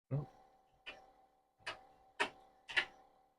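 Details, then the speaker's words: Commodore 2031 HP single floppy drive on a PET after decades, power-up after soldering repairs: five sharp metallic clunks as the head seeks and bangs, with the spindle not heard spinning at first; head seek on power-up. "Alright, why didn't I hear? I didn't hear the drive spin. This worked fine in the 4040. What? I hear the head moving. I hear the head banging."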